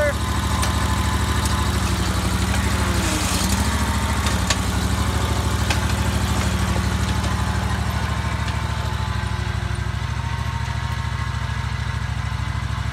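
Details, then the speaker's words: Scag 48" mower after a basic oil change, previously troubleshot: a steady, even low-pitched beat and smooth, regular idle with no misses or knocks. It sounds much better than before. "all right guys we're gonna fire it up let's see what happens [Music] oh my god it sounds so much better"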